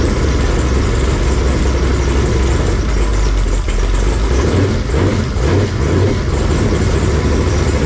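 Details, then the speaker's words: Fresh 496 big-block Chevy V8 on a run stand, break-in, warm near 170°F with 160° thermostat, oil pressure 55–70 psi, leaks fixed: deep, heavy rumble holding perfectly even, no knocks or ticks. Normal warm idle. "so I think we're finally in we're running we're doing right um motor sounds really good and healthy"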